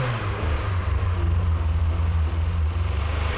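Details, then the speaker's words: 1988 VW Golf Cabrio GTI after its starting issues were fixed, fuel pumps priming at key-on: the engine starts and keeps running with a deep, even pulsing rumble, no misses or stumbles; healthy running. "What a great moment.It's alive."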